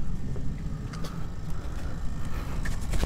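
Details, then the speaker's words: Gen 2 Toyota Prius brake bleeding without a scan tool, microphone beside the ABS pump as it pumps and draws fluid: a steady low motor hum with a faint thin whine, normal operation. "put the mic over by it so it's pumping and sucking down this fluid"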